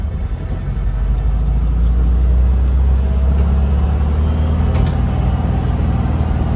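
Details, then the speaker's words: 1966 Volkswagen 11-window bus, air-cooled, warmed up, road test in first gear after transmission repair: steady low drone, no whine or grinding; the earlier nasty noise is gone; transaxle healthy. "it doesn't doesn't make that nasty song uh noise anymore that's one thing I noticed"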